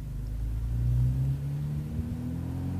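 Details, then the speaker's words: 2013 Jeep Wrangler Rubicon JKU after installing heavy-duty chromoly tie rod, drag link and steering stabilizer, full-lock U-turn on dirt: low engine rumble, no clunk or chirp from inside wheel as before; no steering clunk at full lock. "absolutely notice no clunk or flop on that inside wheel there."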